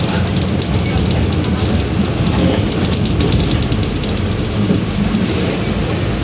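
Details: 2021 Marcopolo Torino S bus on Mercedes-Benz OF-1721 BlueTec 5 chassis, urban service, while driving: deep steady drone under drive noise with no knocking; continuous roar from the rear differential.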